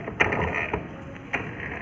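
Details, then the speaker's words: Honda Dio scooter, rear wheel spun by hand: uneven ratcheting gear-like clatter with sharp clicks; noise suspected in the rear gearbox, which is drained so it can be removed for inspection. "Deo में एक आवाज़ है। देख पा रहे हैं जब हम चक्का घुमा रहे हैं तो आवाज़ कर रहा है।"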